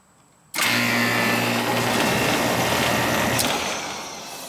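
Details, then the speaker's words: Old Amana R-22 AC outside condenser that would not run, after replacing the bad contactor and weak capacitor: compressor kicks in cleanly with a steady low hum and the fan spins up evenly; normal condenser startup. "that's a good sound yeah it was probably the switch all the time"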